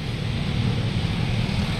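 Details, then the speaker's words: 2017 Toyota Wigo automatic that had a transmission hum, worse when cold: after a new filter and ATF, a smooth low drone with no hum or whine, check engine light off; the transmission sounds quiet. "wala na wala pati yung tunog n umuugong yan kanina eh"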